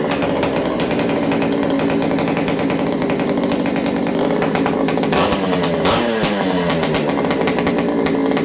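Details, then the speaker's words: Ported XL 922 Super chainsaw restarted while being warmed up slowly: a steady, crisp two-stroke buzz picks up cleanly on two quick throttle blips and settles back smoothly; it is running healthy. "Let's see how this thing restarts. Watch what I do here. I blip the throttle, I slowly warm it up."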